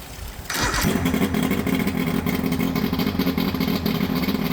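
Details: Johnson Evinrude 115hp 60° V4 two-stroke outboard after powerpack replacement and carburetor cleaning, started to check temperatures on the side that was running hot: a quick start, then a steady buzzing idle with an even beat and no misfire or surging.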